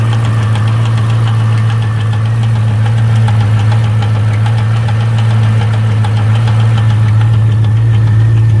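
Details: C5 Corvette Z06 V8 at idle: loud steady low drone with a light, fairly quick tick in uneven groups of three; owner suspects valves, source unconfirmed: engine ticking.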